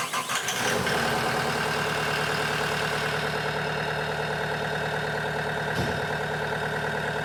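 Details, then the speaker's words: CAT 906M compact wheel loader diesel, about 12,000 hours, after replacing injectors suspected of dripping raw fuel into the DPF: brief crank catches within a second and settles into a steady, even idle with no knocks or misfires; healthy. "Oh, sounds pretty good."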